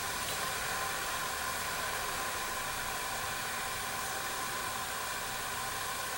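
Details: Jensen #5 electric steam engine warming up with new gaskets, no water leaks: constant soft level hiss as boiler sizzles up to pressure, sounding healthy.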